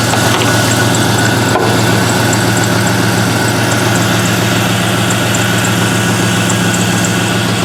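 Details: LS-swapped Mazda B2200 V8 at idle after replacing a failed Bosch 044 fuel pump, with fuel pressure at 50 psi and the regulator working: steady, even idle with a smooth low rumble and a faint fuel pump hum, no misses or knocks. Normal idle.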